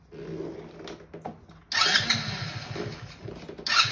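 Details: 50cc Kazuma Meerkat Chinese quad after a complete rebuild (new carb, fuel tank, fuel lines, filter, chain, electrical) on its test drive. The small engine fires and revs cleanly in short pulls, picking up smoothly with no misfire or knock; it runs healthy.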